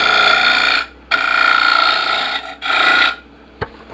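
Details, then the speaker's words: Wood lathe turning a sphere: each tool pass brings a high steady chirping ring over the cutting rasp, a vibration the turner says indicates a crack or something come loose in the blank; suspected, unconfirmed. "Do you hear the little chirping vibration type noise? That tells me there's a crack in here somewhere."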